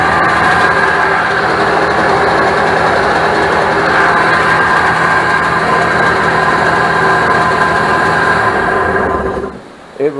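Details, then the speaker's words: 1996 Sea-Doo SPX 717 two-stroke jet ski on trailer, running premix with oil injection still connected, smoking heavily: loud steady high-pitched drone far above normal idle for ten seconds, then drops; idle held much too high. "but this Outlook way too high I thought it was gonna jump off the trailer why is it held up so high"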